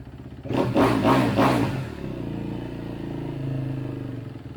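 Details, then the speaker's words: 2011 Kawasaki KX250F single after reassembly; starts easier. Three quick throttle blips, then an idle that slowly drifts up and down. Hunting idle, though much improved over before. "too it's definitely got a weird wonky kind of up and down idle but that's much better"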